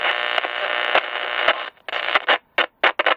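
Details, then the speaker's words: Maco (Matsushita) Model T-50 six-transistor portable radio: harsh crackling static chopping in and out in short bursts as the tuning dial moves, caused by touching plates in the tuning capacitor; needs fixing. ">> Yeah, we got some touching plates on the banana slicer right there."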